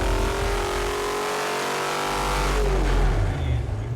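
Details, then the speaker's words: Cadillac 500 big block on the dyno, timing 31 degrees, first pull from 2,500 to 5,000 rpm. Smooth full-throttle wind-up then drop-off; 544 hp at 5,000, 577 lb-ft at 4,600. Normal full-throttle pull. "thing makes great noise 544 horse at 5 000 577 foot pounds of torque at 4 600."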